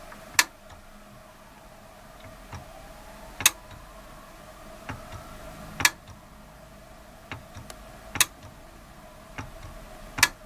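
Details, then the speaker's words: Programmable timer socket, about 5 years old, with 48 V relay, no load: sharp single clicks at irregular one-to-three-second gaps; relay clicking okay unloaded, owner suspects bad contact causing loud buzzing under load. "But I'm going to show you how it's working now, but it will not make the noise if it doesn't have a load on it. So that's telling me that the relay itself is clicking okay, but the contact, I think it's"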